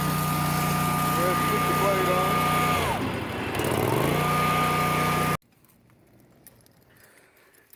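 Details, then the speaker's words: Dixie Chopper Silver Eagle 2750 mower with 50-inch deck and Generac engine: steady engine drone with a thin high whistle that dips and returns with the revs; normal, harmless Generac whistle. "the generac has the that little whistle sound to it that generates famous for it's just what they do so you might have heard that when I was running just kind of has this weird sound you know it's just it's what they do"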